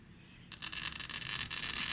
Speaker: you can hear there some clicking sound in your sound and glass cutter scratching the surface of the bottle that's what you want to hear